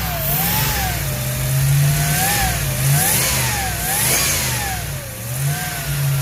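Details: Ford Ranchero 351 Cleveland V8, running after 20 years off the road: engine hunts in uneven surges, keeps going only on throttle and won't idle; blamed on a known vacuum leak.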